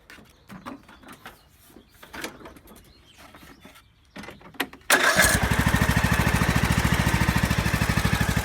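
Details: Craftsman YS4500 lawn tractor, 20hp Briggs & Stratton Intek, after head gasket replacement (failed beside pushrod chamber, caused smoking/oil burning) and tune-up; a few clanks, then steady even thump about three beats a second; runs smooth, oil burning fixed.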